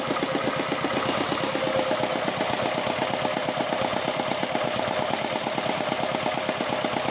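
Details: R180 single-cylinder diesel tractor engine after adjusting the throttle butterfly, since idle was too high: crisp, regular thumping of about eight or nine beats a second at a low, steady pace. Now idles evenly.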